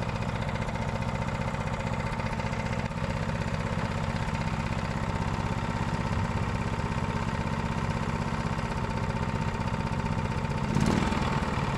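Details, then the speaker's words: Honda GX390 single-cylinder engine running on Predator 301cc parts, with the valve just sorted, choked, and carb bowl still leaking: steady, even putter at about four firings a second, no knocks or misses; normal running. "all right guys we got that gx390 up and running um i'd use quite a bit of parts for my 301 to get it going"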